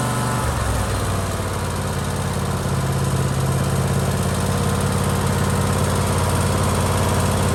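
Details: Husqvarna LGT2554 riding mower with Kohler Courage 25 hp engine after a surging fix inside the carburetor, under the plate: steady, even low thrum holding one speed with no hunting or surging, so it runs normally.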